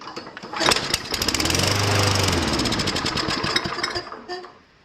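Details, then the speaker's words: Free Toro front-wheel-drive push mower with fuel squirted into the carburetor: the small single-cylinder engine catches and runs at a fairly steady, even beat for a few seconds before dying off; normal running. "So we'll see if it actually runs. Sounded pretty good. Really did."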